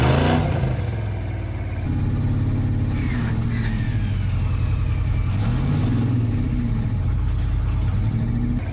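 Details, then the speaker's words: Broken monster truck revving hard under load with rough, uneven clatter and crunching underneath; transmission and drop box suspected broken, not confirmed. "Well, that can't be the drop box. That's transmission and drop box is broken. That sounded really bad. That sounds really nasty."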